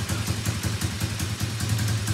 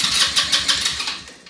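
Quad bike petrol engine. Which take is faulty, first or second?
second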